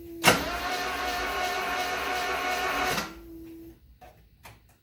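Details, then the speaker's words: 1974 Alfa Romeo Spider Veloce, 10K original miles, stored 30 years; first crank with spark plugs out after fixing cooling leaks: starter spins freely about three seconds, even whir, no compression pulses or binding; rotation confirmed, no fuel smell yet; normal cranking. "Well, there's rotation. I don't smell any gas, but I'm not surprised because it's going to take a while for that gas to get up into the injection system."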